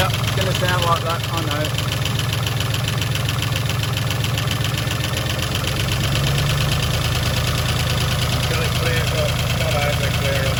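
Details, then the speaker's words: Rebuilt V8, about 3000 km after rebuild, cold start: steady even idle with only a very slight faint tick; valvetrain sounds quiet, slight misfire still unresolved. "that's not bad that is not bad still a very very slight there but it is cold"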